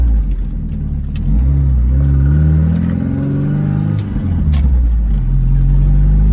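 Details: 1998 MGF VVC, oil topped up with half-synthetic 10W40: fast ticking and faint squeal as revs rise and fall; exhaust manifold leak, squeal gone after tightening manifold bolts, ticking reduced but remains.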